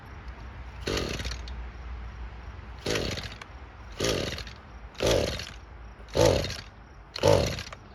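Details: Old Echo GT-225 string trimmer, cold, after fuel system rebuild (cracked fuel bulb had caused a vacuum leak): revs rise in bursts about once a second, each choking off and falling back; bogging at high rpm, owner suspects carburetor adjustment.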